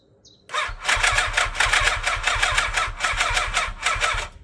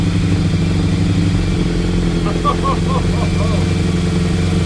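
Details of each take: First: 1987 Yamaha FZR1000 left unused 16 years, freshly serviced with refurbished carbs, on its first start attempt with the choke not yet attached: the starter churns in sluggish, labored strokes, about five a second, never catching; slow cranking from low battery power, jump box added. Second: 1987 Yamaha FZR1000 four-cylinder, first start after 16 years unused, refurbished carbs, gravity-fed tank raised above carbs, easy start used: brief smoke, then steady deep idle with even exhaust beat, no knocks; healthy normal idle.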